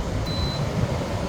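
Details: 8000 BTU Frigidaire window air conditioner, after a deep clean of clogged fins and a moldy fan: a single short high beep over the steady hum as the fan is ramped to high on auto; a normal control-panel acknowledgement.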